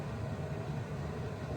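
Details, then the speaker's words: 1994 Geo Metro heater blower fan on improvised replacement switches, key on: steady even whoosh with a constant low hum, no ticking or scraping; blower fan running normally. "I don't know if you can hear the fan going, but it's going."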